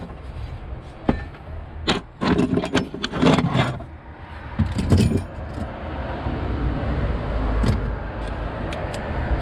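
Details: 1990 Mitsubishi Delica L300 after a starter replacement: keys rattle, a brief crank, then the engine fires and holds a smooth, steady idle with no starter grinding; normal start.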